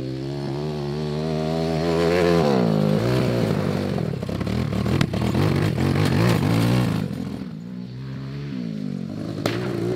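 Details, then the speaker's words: Homemade 190cc single-cylinder 5-speed go-kart, cold muddy day: engine pulls, then its beat breaks up and sags twice, dropping out and catching again; stumbling, likely because it was low on fuel. "oh I think we're out of gas that makes sense"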